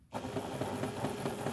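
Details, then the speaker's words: Vintage Janome sewing machine from e-waste after fuse replacement, run via the foot controller: smooth, even whirring with light regular patter, no knocks or grinding; normal motor running. "beautiful nice smooth making him there's a pretty good quality machine"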